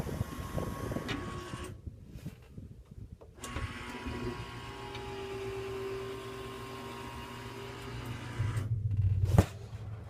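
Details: Wolf downdraft vent motor whirs steadily with uneven thumps as the vent travels; damaged, scratched lift roller wheel causing the thumping.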